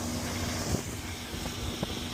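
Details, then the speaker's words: Twin Mercury 400 V10 Verado outboards on a 2026 Avalon Excalibur 2785, just after a water-separating fuel filter change, on a flat-water top-speed run at 70 mph. Smooth, steady full-throttle drone with water and wind noise behind it, no stumbling or surging. Running properly. "All right, now she's running good. 70 mile an hour on a flat on couch ain't too bad."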